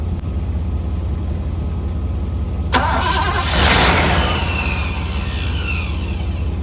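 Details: 1985 Mercedes W126 SEC, restoration Part 1, left unworked about 2 years: starter cranks at an even four beats a second, engine never catches, even with relay ports 7 and 8 bypassed; owner guesses fuel pump, possibly fuel pressure, unconfirmed.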